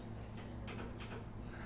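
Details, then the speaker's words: Garage door opener, one button press with misaligned safety sensors: three sharp clicks and no motor run, the clicking being the opener light flashing a fault; opener will not close until sensors are aligned. "here's what happens you hear that clicking noise that clicking noise is all your hear on the motor that's the light clicking on us letting you know that there's something wrong"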